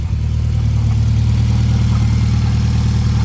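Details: Mitsubishi Lancer Ralliart, after a ticking/rattle was fixed: deep, smooth rev held steady then cut cleanly, with no ticking or rattle, only normal SST chatter.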